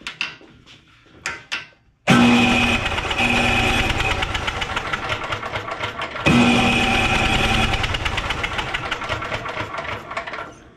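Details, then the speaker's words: Briggs & Stratton 12 hp Intek OHV single-cylinder on a Simplicity snowblower, low compression: two long cranking runs of quick even chuffs that never catch, no spark because the ignition switch was left off; cranks but no start. "I had it off you have to turn it on if you want it to spark who knew"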